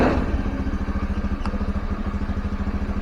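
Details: Honda Scoopy carbureted scooter that stalled when throttle was released, after valve clearance adjustment and carb work: brief throttle blip, then revs drop back to a steady idle with no stumble or stall.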